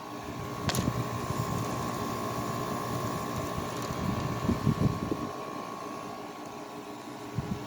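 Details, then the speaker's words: 2009 Haier 5,000 BTU window air conditioner, 12 years old, Rechi Precision compressor, first season startup on high cool; even fan rush and steady mid-pitched compressor hum, quieter than owner remembers, pressure sounds healthy; normal operation. "high cool well that scene is really quiet i guess it was uh it's quieter than i remember it sounds nice sounds good pressure sounds healthy"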